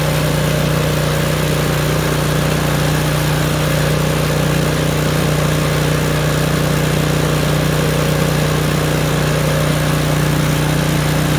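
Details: Craftsman snowblower, roughly 3–4 years old, just started: popping stops as the choke is eased off click by click; now a steady, even engine drone with no pops or misses, running smoothly.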